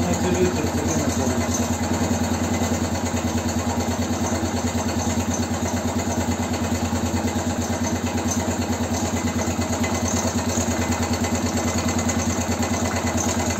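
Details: BM Motard 259 single-cylinder after engine rebuild, idling: steady idle with a light, regular tapping on each beat; knock present, source unclear, possibly upper part of the engine.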